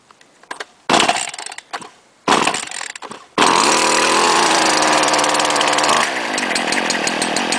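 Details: 2010 STIHL FS70-RC-E trimmer with easy-start and semi-automatic choke: a few starter pulls, catches, buzzes high on throttle then drops to steady run idle; owner notes flex crankshaft shakes machine when revving; normal running.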